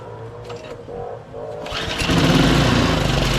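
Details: Snowblower being readied for sale, started after a new valve was fitted and hose clamps were tightened: a few rough pulls, then the small engine catches and settles into a steady, even run with no misses; it sounds healthy.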